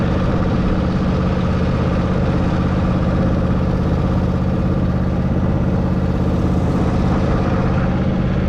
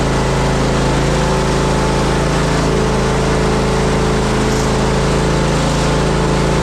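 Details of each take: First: Zero-turn mower, mowing: steady, even low thrum at unchanging speed with no misses, knocks or surging; mows all right and engine runs pretty good. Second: Zero-turn mower, previously a non-runner, single-cylinder engine running steady at full throttle: light tinny rattle on top; owner suspects the loose heat deflector shield on the back.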